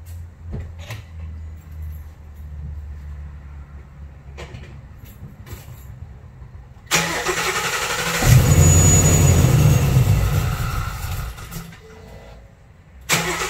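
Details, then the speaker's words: Supercharged 2019 Ford Mustang Gen 3 Coyote V8 (Vortech V3, about 11 psi) after spark plug change: clicks, cranks, lumpy uneven start; misfire because coil on cylinder three was left unplugged. "I bet you I forgot to plug in some of the coils yes sir that's exactly what happened"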